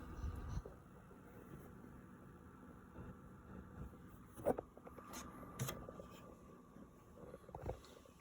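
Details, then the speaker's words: PS5 console running a game with a quiet, steady high buzz from inside over a low fan rumble; the cause of the internal buzzing is uncertain. "something buzzing inside like something being it i'm not exactly sure so there are a lot of people reporting these issues like on reddit and like youtube"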